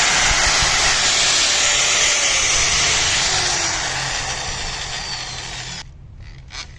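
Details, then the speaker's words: 4-inch angle grinder with dry, ungreased gears in the head, which probably also runs hot in long use: a high, raspy gear whine over the motor that fades as it spins down; dry gearbox gear noise. "तो दोस्तों ये आपको sound सुनाई दे रहा होगा, ये इसके gear का साउंड है। जो गियर हैं इसके वो काफ़ी ड्राई हो चुके हैं, जिस वजह से ये साउंड आ रहा है।"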